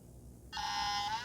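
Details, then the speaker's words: Compaq CP3024 20 MB hard drive from a Compaq Portable III, last used in 1997, bench-powered: after a short silence the platters spin up with a steady whine but there is no head click or seek; heads are stuck. "you're not hearing the head moving. There's no head click like a hard drive would normally do at startup, where it seeks the head and tries to do its initialization process. All you're hearing is the platters of motors spinning up."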